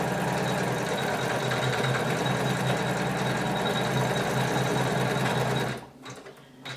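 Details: Janome 500E embroidery machine after the cause of a knocking noise was fixed: even, quick needle rhythm of about four strokes a second with no knocking, then it stops. Stitching sounds healthy.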